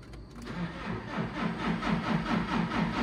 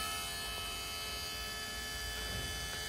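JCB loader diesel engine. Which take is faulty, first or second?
first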